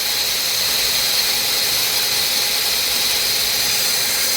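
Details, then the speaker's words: Core drill cross-drilling soft jasper at a healthy, fairly fast feed rate: steady, even high-pitched sizzle with no squeal. Squealing generally means the feed rate is too slow, though hard jaspers may squeak regardless. "Right now our feed rate, see, got a pretty decent feed rate on it. it up, and it's got that more like that sizzling kind of sound."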